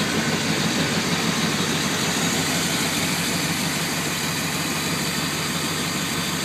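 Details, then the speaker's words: 1995 Chevy Tahoe LT 4x4 K1500, 5.7L V8 with TBI, K&N filter and a Flowmaster-type exhaust: a deep, even idle burble with a loud, raspy note and no knocks or misses. Healthy. "it also has a Flowmaster exhaust it's actually made by thrush I believe so but it's the same as Flowmaster so the exhaust is going to be somewhat loud but it's worth the extra gas mileage"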